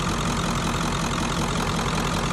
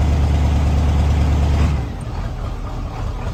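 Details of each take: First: 1994.5–97 Ford 7.3 Powerstroke, 300k+ miles, after IPR valve replacement: dense, even diesel clatter at idle, steady rhythm, no hunting or stumbling; runs clean, though a leak remains. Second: 1994.5–97 Ford 7.3 Powerstroke diesel, 300k+ miles, cold start at 62°F after glow plug cycle, just after injection pressure regulator replacement: fires loud, then settles into an uneven stumbling hunting idle; air purging from the high-pressure oil system.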